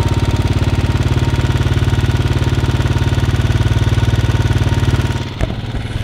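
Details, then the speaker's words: Royal Enfield Bullet 500 Standard, UCE 500 engine with UCD 33 carburettor: idle screw turned up to double idle RPM before setting mixture; steady, even single-cylinder thump at fast idle. "now I have doubled the RPM and you can hear the engine uh sound"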